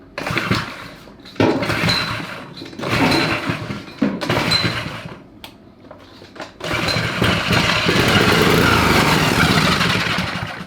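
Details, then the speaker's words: Honda 5HP overhead-cam engine for a yard go-kart, first start after fueling, choke used: coughs and catches in short bursts, dies twice, then surges into a ragged run; fuel pump bad and spraying fuel while running. "The fuel pump's bad. Oh, it's leaking everywhere. Dude, when it's running, it's just spraying fuel right out of the pump."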